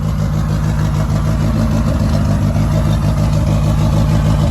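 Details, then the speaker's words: 1995 Honda Civic with turbo B20 swap, first boosted startup, warming up: even steady low idle with smooth pulse and turbo spooling, no knocks or rattles; running normally, no oil leaks. "so if you guys can hear the turbo spooling there's absolutely no leaks no oil leaks"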